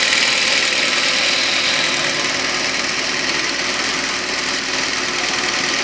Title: ADR Knocking noise